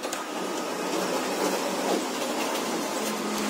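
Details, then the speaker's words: Canon iR6000 copier after repair, A3 cassette feed that would not pick up fixed by replacing the feed rubber, test once warmed up: steady whir and soft rolling hiss with no grinding or slipping as the A3 sheet feeds; normal paper feed. "Kita coba yang A3 ya. Sip, wah mantap, naik. Wih, satu kali lagi cobain."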